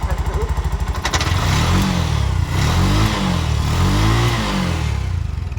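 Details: Bajaj BS6 single-cylinder engine, about 22,322 km, after repair with new crankshaft and new cylinder bore replacing a loose crank and scored bore; steady beat rising and falling smoothly with throttle blips, no knocking or rattle, running normally.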